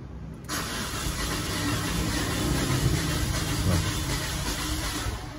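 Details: Peugeot 406 car engine misfire: catches and settles into an uneven stumbling idle with irregular lumpy beat; cylinders 1 and 2 seem to lack compression, swapping injectors made no difference.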